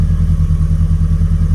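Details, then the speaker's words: Ford Escort XR3i rough runner after cleanup, timing check, distributor inspection and new fuel filter: even, regular idle pulse, steady and unaided, no stumble or tapping; started and idling on its own. "it started. So all I can say is it's been a success. It's idling on its own. I'm not revving it, and yeah, all good to go."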